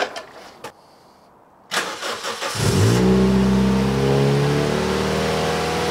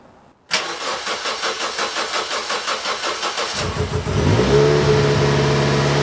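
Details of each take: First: Toyota Yaris 1.5L 1NZ-FE with Scion xD fuel pump assembly, 2ZZ spark plugs and 1ZZ throttle body, after reseating a loose throttle position sensor plug: cranks, catches and revs cleanly, holding high revs unloaded without cutting out. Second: Toyota Yaris 1.5L 1NZ-FE after fitting Scion xD 2ZR fuel pump, 2ZZ plugs and 1ZZ throttle body spacer: cranks about three seconds, then uneven, lumpy, hunting idle in limp mode; misfires plus TPS code from unseated throttle position sensor plug.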